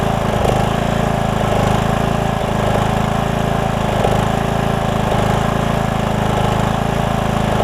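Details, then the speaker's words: Briggs and Stratton single-cylinder riding mower engine just after a carburetor replacement, burning off excess fuel and oil in the muffler: steady even beat, no hunting or stumbling; normal running. "we'll let it settle itself out as you can hear it's running pretty good"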